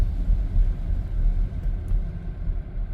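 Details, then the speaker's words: Volvo XC90 driven over a small bump at low speed after replacing inner and outer tie rods: only low, even road and tire rumble, no more driver-side front clunk; alignment still needed. "no more clunking noise so now now as I stated in the video I'm going to get I'm driving to the shop now to get the car to get an alignment"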